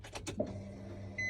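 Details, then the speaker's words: 2003 Nissan 350Z, key turned to on before start: short steady electric whir from the fuel pump behind the passenger seat, then stopping; fuel pump priming normally. "All right, so that's the fuel pump priming right there."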